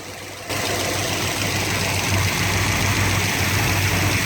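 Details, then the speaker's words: 1972 Chevrolet C20 longhorn pickup with a rebuilt 383 V8 that lacks power: loud, busy diesel-like clatter over a rough idle; source never identified despite years of diagnosis. "it was shortly after that the bane of my existence the motor sounded like a diesel"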